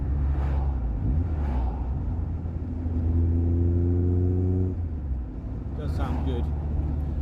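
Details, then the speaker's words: Mk2 Golf GTI 16v with freshly built engine being run in, about 52 miles, temperature normal, cruising about 70 mph just under 4000 rpm on light throttle; smooth, even note over road rumble, no exhaust drone. "just shy about just shy 4000 rpm sitting there quite happily if you're just tickling the throttle just maintain your speed it's not really droning sounds quite nice"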